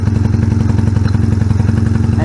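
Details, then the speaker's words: 1986 Honda Rebel CMX250 twin, idling with one plug lead pulled: low steady thumping unchanged, so that cylinder isn't firing; pulling the other stops the bike, running on one cylinder; owner suspected running rich. "engine still runs good but there was no change in the sound of the engine so that's concerning"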